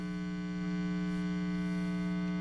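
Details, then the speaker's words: Guitar amp with the volume turned way up: a steady, low 60 Hz hum with a buzzy edge from a ground loop, present before a Hum X filter was fitted, which quietened it. "obviously I turned the volume way up because I wanted you to hear that hum a little bit better"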